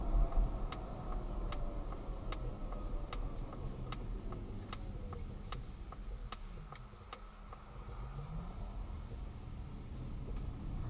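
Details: Polestar 2 electric car driving: sharp dry suspension clicks about once a second over low road rumble, still present after two attempts by Volvo to fix it.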